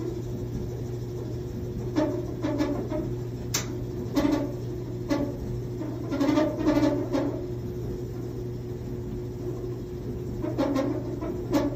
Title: Top load Samsung dryer making this noise. It is 6-7 years old.